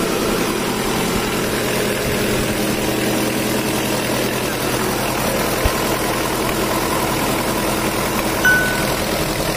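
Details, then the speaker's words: Mitsubishi Strada Triton 4D56T turbo diesel, rebuilt after overheating seized and scored the liners: smooth, steady idle with no knocks or misses once the intake-manifold turbo hose is refitted, temporarily. Injection pump and nozzles not serviced. "Putra motor udah ini suaranya Udah halus karena selang dari intake manifold tubuhnya udah kita pasang meskipun untuk sementara biar turbonya menekan dan suaranya jadi halus"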